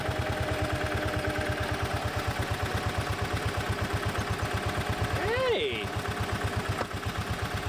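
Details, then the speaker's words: Bobcat Pioneer (Club Car Carryall) utility cart revived from non-running after parts replacement, returned to idle: steady, even putter with unbroken rhythm and no misses or knocks; idling properly. "right go back down to idle yes you will it's idoling all right I like that"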